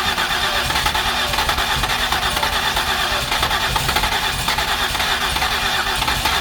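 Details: 2008 Ford Escape with previous repairs, cleaned spark plugs and coil packs refitted, given a little throttle: long even cranking, engine tries to catch but never fires; too much gas suspected.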